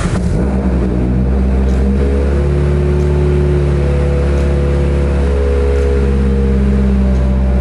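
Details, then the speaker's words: Mitsubishi Evo 8/9 that started then died after 10–15 seconds, fuel pump relay losing trigger signal, now bypassed: strong, steady low rumble with smooth rev rises and no stumble or cutting out; running normally. "Okay, there it is, it's running."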